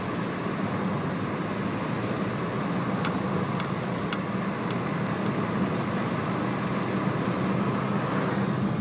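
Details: 1996 VW Golf Mk3 1.4 under load: steady engine drone with a coarse tractor-like rattle/grinding and sharp ticks, in every gear at about 1500 RPM. Two garages found no problem; cause unknown.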